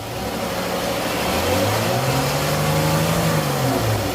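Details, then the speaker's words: 2014 Chrysler 300 3.6, after repair of an oil pressure sensor engine-light fault: revved toward about 4,000 rpm, pitch climbs smoothly with no knocks or stumbles. Oil pressure holds and the engine light stays off. Normal revving. "there we go we got pressure when she press the gas all the way up perfect there's no engine light it looks good it's not blinking or anything"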